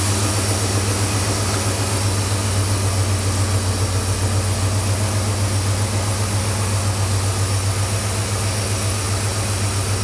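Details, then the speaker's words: 1979 Ford F-150 4x4 with a 460 V8, FiTech fuel injection and automatic: after the key-on high-pressure fuel pump prime it starts right up into a deep, steady, even idle with no skips. Normal idle. "Hit the key, you hear the the uh highpress fuel system. The key, it starts right up."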